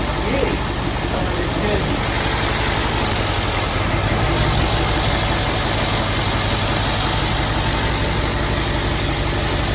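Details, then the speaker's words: Mercedes-AMG C63S (W205) damaged rebuild, first start after unlocking the ECU: strong even V8 note holds steady with no misses or knocks; idling smoothly and healthy. "And there we go. The car had started and seemed to be running fine, which was a great relief."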